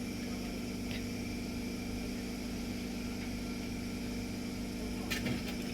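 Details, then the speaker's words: 2014 Toyota Corolla petrol idling with a slightly uneven, lumpy beat; misfire codes P0171, P0301–P0304 with check engine light despite new plugs and cleaned injectors, caused by a long crack in the intake manifold leaking air. "मैंने खोल लिया पूरा crack है मतलब छोटा-मोटा crack नहीं है बहुत लंबा क्रैक हुआ है इसके वजह से जो है ना वो मिसफायर हो रहा था"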